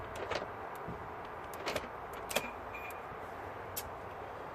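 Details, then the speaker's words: BMW F01/F02 passenger door lock actuator, door not locking or unlocking from remote or interior button: short faint motor whirs with light irregular clicking, no firm locking thunk, as the actuator's cogs jump and the gear turns freely; gears slipping. "these cogs they just jump up and obviously this just turns completely"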